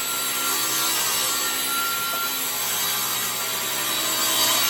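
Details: SawStop table saw bought used off Craigslist, cutting wood after a first pass where the blade seemed too low: smooth, steady whirr with an even hiss through wood, no bogging or chatter; normal clean cutting.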